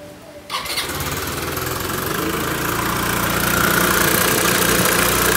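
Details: 雷霆王180 (Kymco Racing King 180) scooter on startup: starter whirr catches, then rattly clattering tick about four a second over the idle; owner suspects starter clutch or broken inner cam chain tensioner, unconfirmed.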